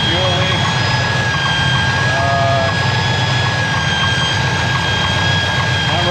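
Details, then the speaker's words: 454 big block in a square body Chevy dually, new Edelbrock 1411 750cfm electric-choke carb, idling much better than the old carb: steady rumble with a thin constant high whistle. Suspected vacuum leak, not yet located. "but it is idling much better even with the vacuum leak"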